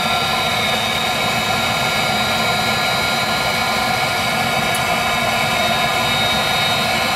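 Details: Viessmann Vitodens 200-W WB2B35 condensing boiler, about 5 years in service, in its intermittent hung failure state with no fault code: only a constant fan hiss and steady whir, no burner roar building; the burner won't light while the circulator pump keeps running. Cause unknown.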